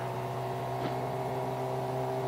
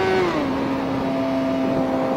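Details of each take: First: Motorcycle held in first gear on the freeway at about 50 mph and 10,000 RPM: a high, strained, loud tone climbs and holds, sounding about to explode; it needs an upshift. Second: Motorcycle at about 60 mph, right after upshifting from first gear, which it had been held in at about 10,000 RPM: the engine note drops in pitch and smooths into a steady, even hum. Running normally.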